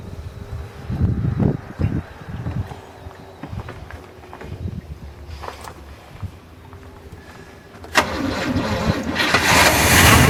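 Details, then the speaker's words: 1981 GM square body truck V8 after sitting 25 years, with the fusible link replaced, choke blocked open and a suspected stuck float: cranks and sputters, then settles into a steady, even run without knocks. Runs pretty good. "Well, it does run. It runs pretty good, I think. Not a lot of noises, so think we're going to call that good."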